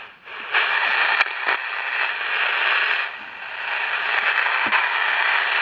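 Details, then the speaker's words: Candle pocket radio after repair, with two parts changed and only the big one found bad: steady station music from a small tinny speaker with only the odd faint crackle; the noise is gone and reception is normal. "It's gone now. It's gone. We got music."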